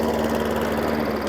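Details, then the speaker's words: Hayter Ranger 53 lawnmower, new spark plug, primed, throttle on rabbit: low lumpy bubbly engine note stuck well below full speed; won't reach full revs; governor/throttle linkage adjustment suspected. "so that's revving but it's not revving anywhere where it should be"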